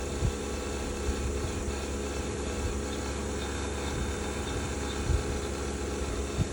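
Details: Bosch BOVB-36HDN1-M20G heat pump, under a year old, previously quiet: rough gritty drone with scattered irregular knocks that come and go and change pattern; owner unsure whether this grinding is normal.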